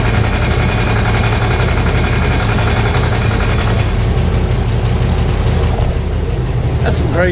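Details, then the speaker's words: 1968 Chevrolet Impala fastback idling on the lift after an exhaust hanger fix: steady low idle with a faint rapid ticking in step with engine speed; owner suspects the fan, and a shiny rub mark shows the blade catching the shroud. "stuff that's got to be the fan that's got to be the fan doing that"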